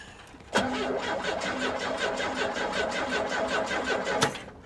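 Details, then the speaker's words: 1983 Chevrolet Camaro at salvage auction after trying a better ground: starter cranks at an even quick rhythm for about four seconds without firing; no fuel pump heard, gauge shows gas; crank, no start. "i don't hear a fuel pump no i mean this thing don't run"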